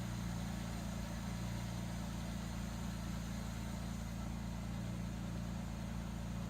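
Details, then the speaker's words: 1967 Jaguar Mark II off the road 20+ years, now started with kickdown set; quiet, smooth, even idle with steady low tone and regular beat, no misses or hunting, though the coolant overflow is spewing. "Wow, that sounds good! I hate my overflow spewing."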